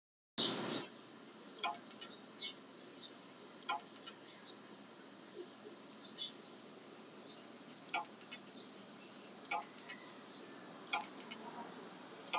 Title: Toshiba hdd clicking sound